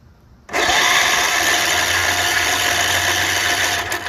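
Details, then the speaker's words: Tecumseh HH60 6 hp horizontal-shaft tiller engine, electric start, choke open, starting fluid sprayed: steady even starter whir with no compression pulses or firing; not drawing fuel, owner thinks piston isn't moving and engine is dead. "yeah I mean it's it's not drawing any fuel in there it's not going to combust"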